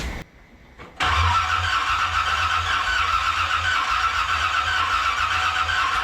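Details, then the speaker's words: 1981 Corvette with renewed engine just installed, choke readjusted: after a click the starter cranks steadily for five seconds at an even rhythm but the engine never fires; cranks, no start, cause unknown. "See what happens. Nada. Nada. Nada, yada, nada."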